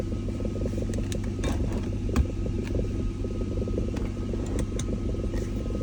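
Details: BMW E39 540 V8 idling while held stationary in R or D: heavy low rumble with scattered dull knocks and vibration.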